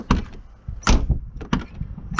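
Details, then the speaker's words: Old VW Polo Mk2 coupé, about 124,000 km, back on the road after sitting since 2018: three or four firm solid door-closing thunks with no rattle or creak; the hinges, which often wear on these, are in perfect shape. "Not all of them close like this. It's a problem that the hinges wear out, but on this one, they're just perfect."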